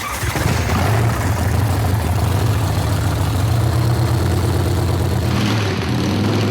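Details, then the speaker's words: Hot-rod V-twin custom bike, first start after build, after swapping the experimental mag cap for a proven one: catches and settles into a deep, steady rumble with a slight blip; runs properly. "up and it run. Sounds good. Checking it out."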